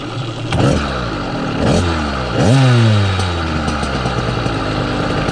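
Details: Southern Custom CC hybrid two-stroke engine on a motorized bicycle, 32:1 oil, 87-octane fuel: it revs, and each time the throttle is released a low droning hum rides the wind-down, a vibration felt in the bike; cause unconfirmed.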